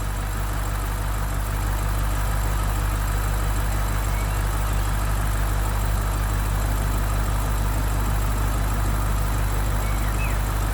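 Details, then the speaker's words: BMW 650i idling during a DIY A/C regas, gas being added with pressure below the blue zone, A/C previously giving no cooling: even whooshing rush of the auxiliary and main condenser fans over a deep idle; both fans running, A/C probably working again. "hear the auxiliary fan with the main fan running now which means the air conditioning is actually working and it's cooling down the condenser"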